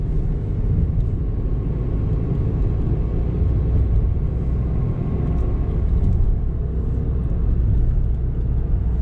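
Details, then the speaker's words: Honda car (model unclear) driving: deep, muffled drone from the front, felt to be the right side, louder at speed and fading on slowing, like a scooter silencer; worn front wheel bearing. "कभी-कभी जब तेज चलती ऐसा भी होता है कि scooter के silencer से आवाज आती लगभग उस टाइप की दबी हुई आवाज में हुआ है"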